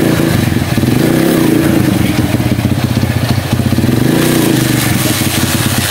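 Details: Honda CB100 single-cylinder, stored for years, pulling in gear after fixing clutch plates stuck from long disuse (previously stalled when engaging gear); regular even beat, no stalling or hesitation.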